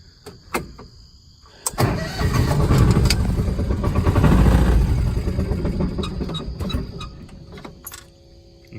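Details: Kawasaki Mule 2510 project with old gas and a carb needing cleaning, running choked with an electric fuel pump: the engine surges and sags with throttle blips and won't idle unless feathered; cause suspected, not confirmed.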